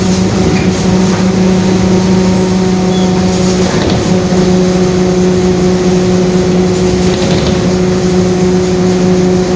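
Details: 2021 Marcopolo Torino S bus on Mercedes-Benz OF-1721 BlueTec 5 chassis, driving along: steady low growl and constant drone under the engine; differential growling.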